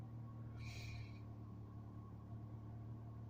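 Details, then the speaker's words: PT Cruiser (blue) idle sits about 1200 rpm, higher than the sister car's roughly 500–1000; smooth steady hum with no misfire but fast, busy idle. Owner thinks idle should be lower, could be lowered manually or catalytic converter checked. "Could be that the idle's up a little. Just want to see where it idles. It's idling about 1200."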